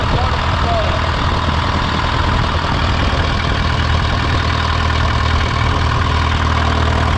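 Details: Case VAC tractor after an aftermarket water pump was fitted, warming up with the gauge at about 20–35°C; it had earlier overheated to 80° after a coolant change. A loud, steady idle with an even low thump and no knock or rattle: a normal idle.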